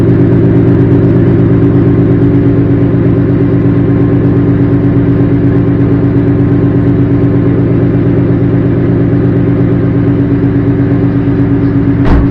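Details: Car with a new engine, after its first oil change and checked with a mic for a new knock; steady, even idle with a smooth low rumble and no ticking or knocking; normal idle.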